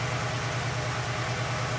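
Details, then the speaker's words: Ford Fiesta 1.0 after underside impact: uneven lumpy idle stumbling, cylinder 3 practically dead misfiring per ignition scope trace; cylinder 4 signal also showing anomalies. "agora a gente está trigado no frio treta então observa eu fico esse lembro três ele está praticamente morto"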